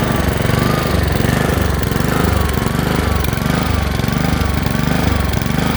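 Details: Honda HRX217 lawn mower before carburetor cleaning: engine speed swells and sags about twice a second with an uneven beat. A hunting idle caused by a dirty carburetor; cleaning it fixed the problem.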